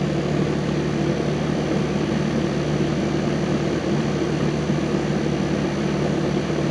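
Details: 1999 Rheem 2.5-ton R22 condenser, cleaned, on a piston coil; 7.4 superheat, about 65–70°F outside, pressures good; contactor needs replacing: steady fan whoosh over a low compressor hum, no rattles, squeals or cycling; running normally.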